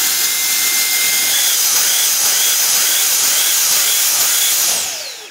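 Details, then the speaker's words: Dyson V10 vacuum on a DIY-built 3000 mAh battery, inlet blocked to test protection: a high motor whine dips about twice a second, then winds down; it runs fine once the inlet is opened. Overload protection cutting out the motor on a blocked inlet. "anyone could buy and repair this vacuum cleaner, by the way, does the overload protection work here or not"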